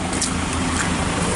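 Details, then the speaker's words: 2014 Nissan X-Trail T32 after repair of misfire/rough idle: steady even exhaust rumble at idle, no stumbles; fixed by replacing incorrect, leaking number one coil and plug. "so let's listen to the muffl and see what's going on it's starting to rain so I'm trying to you know hurry this up yeah sounding definitely sweet right"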